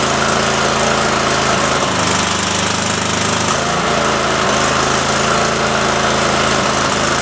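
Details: Cub Cadet mower engine after carb screw refit, PTO engaged spinning blades; runs unevenly, speed dipping and catching several times in seconds. Owner suspects a leaking fuel solenoid sucking air or a bad coil; unconfirmed.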